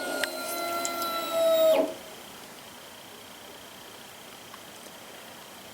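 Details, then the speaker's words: 2003 Triumph Speed Four after replacing plastic fuel tank couplings with stainless fittings, ignition on without cranking: steady electric hum under two seconds, then clean cutoff; normal fuel pump priming, no visible leaks. "the fuel pump has now pressurized the system, and I'm going to have to put the camera down, but visually I don't see any leaks."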